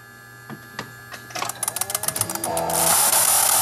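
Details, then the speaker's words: BMW X5, crankshaft signal spoofed with a JimStim: quick regular sharp clicks speeding into a fast patter; injectors firing and coil trying to fire, tachometer working, normal. "I could hear the injectors going and the coil is trying to Fire and the tachometer came on on the dash"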